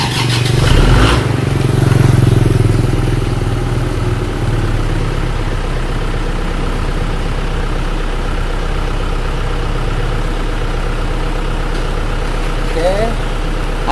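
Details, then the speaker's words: Isuzu Panther diesel, engine rebuilt after running out of radiator coolant (new liners, pistons, rings, clutch, seals, thermostat): cold morning start, temperature gauge on C; slightly long crank (old fuel filter suspected), thin smoke, then steady even idle. "dan ini adalah kondisi mesinnya setelah diperbaiki ganti liner ganti seher ganti ring seher baru itu hasilnya sudah bisa mantap stater awal saja itu asapnya sudah tipis"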